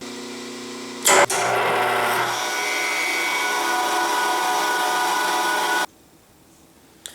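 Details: Yates American J180 thickness planer motor, first run after stator lead repairs and a repaired motor bell, on a rotary phase converter with the wild lead swapped: motor winds up quickly to a clean steady hum without growl or hesitation, then coasts down; normal start.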